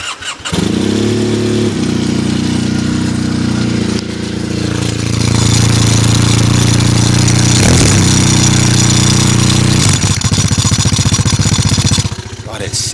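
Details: Triumph Bonneville with its stock exhaust, which the owner finds embarrassing; engine fires up and settles into a steady, even, deep thrum at idle with soft exhaust note, no misses, healthy.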